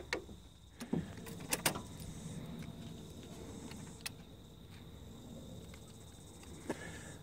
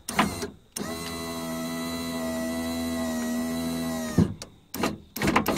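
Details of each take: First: Nissan Patrol driver's door power window with an intermittent fault, door card off: relay clicks sharply with each up or down press but the motor doesn't run; relay-to-plug connection suspected at first, but that isn't the cause. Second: Nissan Patrol driver's door power window after fixing a dry solder joint in the relay (commutator fine): a clunk, then a steady motor hum for about 3.5 seconds ending in a thump; the window runs down smoothly and stops.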